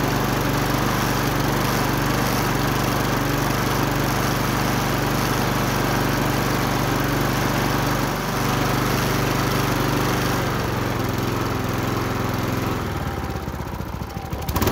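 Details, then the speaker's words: Wolf TB46B lawn mower, household-clearance find long retired for not starting, test run after fuel turned on and carburettor float bowl filled: steady, even single-cylinder running at about three firings per second before shutting off; healthy. "läuft ja liebe leute wie so oft nach rasenmäher läuft nicht"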